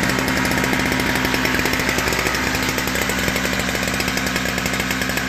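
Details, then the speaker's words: Toro 38602 Snow Commander snowblower, just started with one pull after a primer bulb replacement, no load: small single-cylinder engine buzzes steadily and evenly without bogging. The carburetor seems clean; performance under load is untested. "so we know that that engine runs just fine the carburetor seems clean because it runs no problem without bogging down"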